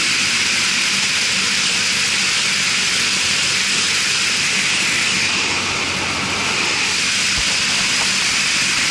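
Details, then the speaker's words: Marley cooling tower fan after repairs and oil refill, balanced to factory setup, sounding much better than before; steady even rush of air and falling water, no knocks, rubbing or wobble; normal fan operation. "yeah C it sound good to me a lot better than before right just want to make sure that all the clearance is good"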